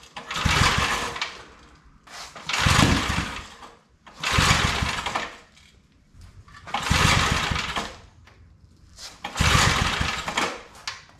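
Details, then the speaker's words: Old Briggs & Stratton 5 hp wood splitter engine, started without choke after more fuel was added; bursts to life about 1.5 seconds then dies roughly every two seconds. Spark present, plug carboned, so owner calls it a fuel problem. "I just gotta get it to run better. Oh, she don't want to run at all."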